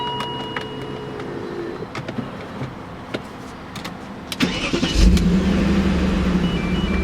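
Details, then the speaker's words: BMW E39 M5 after rebuild, hot from 91° sun: a few clicks, then the engine catches cleanly and settles into a very quiet, even idle, with maybe one lifter briefly making noise; healthy start. "It's pretty quiet. It's got what's maybe one lifter was Very quiet. making noise. That's pretty damn quiet."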